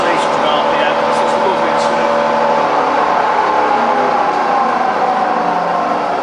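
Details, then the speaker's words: Fully rebuilt Bridgeport milling machine with new gears and all bearings replaced in the head; head running with a smooth, even whir and clean steady mid-pitched tone, no knocks or grinding, sounds healthy. "okay so powering up the head look you listen to that it's lovely and loving - I love it"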